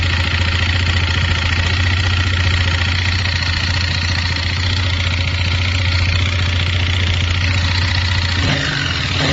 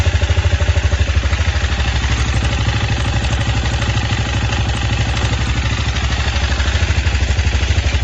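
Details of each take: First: 164FMM single-cylinder motorcycle engine after gearbox failure damaged crankcase and piston; gearbox, cylinder, head and piston swapped but knock unchanged: dull uneven knock about three a second at idle; fixed only by replacing the crankshaft, worn crankshaft knock. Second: 164FMM single-cylinder motorcycle engine rebuilt after third-gear failure (new gearbox, cylinder, piston, carburetor); earlier knock traced to the crankshaft: now steady, even idle thump with no knock or clatter, bottom end sounds healthy.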